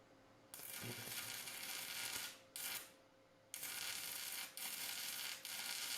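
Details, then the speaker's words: Cheap multi-process welder bought on Amazon, stick welding with 6011 electrode at about 80 A: crackling arc hiss keeps cutting out and restarting, five short bursts in six seconds; unstable arc, judged unusable for 6011. "All right, I'm going to call that a no-go for 6011. 6011, it will not do well at all."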